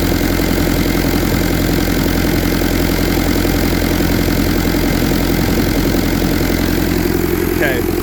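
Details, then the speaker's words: 1952 Willys M38 with a Kubota V2203 diesel swap, about 4000 miles, fast idle around 1100–1200 rpm on a digital tach: even, steady diesel clatter with no shake or uneven beats. Smooth, healthy high idle. "that's about 1100 1200 so the highest I was 12.99 see how smooth everything is this isn't doing anything"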